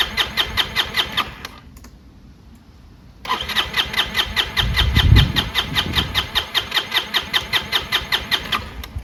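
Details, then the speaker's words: Chinese GY6 150cc scooter that bogs on acceleration, had been lying on its side: starter churns about two and a half turns a second, pauses, cranks again, never catches; owner suspects clogged air filter and off air-fuel mixture. "Won't even start."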